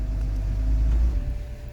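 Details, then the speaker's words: 2007–2009 BMW E70 X5 with a crank-no-start fault after its battery died from months of sitting, now fixed: engine catches and settles into a low, steady, smooth rumble; normal start. "if you notice the car start the car start why because the circuit is complete"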